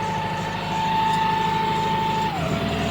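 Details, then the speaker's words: Hitachi excavator diesel that had hard starting, low power and misfire from a dirty tank damaging injectors, after injector rebuild: even, steady idle pulsing three to four beats a second, constant high tone, no smoke; normal idle. "m y Ang ganda ng andar walang usok bumalik sa dati rebuild natin injector niyan low power hard starting anong masasabi mo Master"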